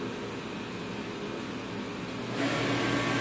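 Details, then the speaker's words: Reddy Heater Pro 150 forced-air heater after nozzle cleaning and fuel line change, plugged in and reset pushed: steady blower rush grows but no burner roar follows, then reset trips and it shuts off; owner suspects nozzle or fuel filter. "but it's not starting up. Then it trips the reset and shuts itself off."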